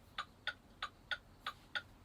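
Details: CDL truck pre-trip light test with the 4-way hazard flashers on: crisp, even ticks about three per second over a clean, quiet background; the flasher is cycling normally.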